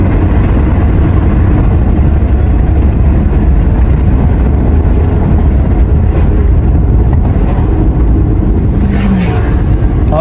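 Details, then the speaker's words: Honda Civic test drive after replacing engine, transmission and center mounts: steady, even engine and road rumble, no clunks or jolts; rattle and shift shock gone (blamed on worn stabilizer rubber and engine mount). "guys, wala na yung kalampag, wala na rin yung shift shock."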